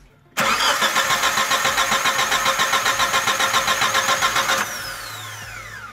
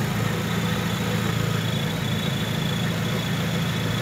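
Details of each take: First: 2001 Chevrolet Grand Vitara towed in, cranks but won't start, battery jumped, spark tester on second coil removed: steady cranking about 3.5 turns per second for four seconds, never fires; no spark confirmed. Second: 2001 Chevrolet Grand Vitara 2.0 after replacing a faulty crankshaft position sensor that caused crank-no-start with no spark: smooth even idle, steady low hum, no misses or stumbles; running healthy.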